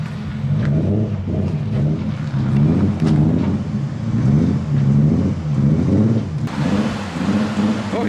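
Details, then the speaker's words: Used dual-cam KA24DE S14 engine in a crashed Nissan 240SX Zenki, before being pulled for a swap: pulls smoothly at low revs with an even steady beat, no knocks or ticks; sounds good despite stalling twice. "Makes me feel better knowing that he just stalled it twice. Sounds good"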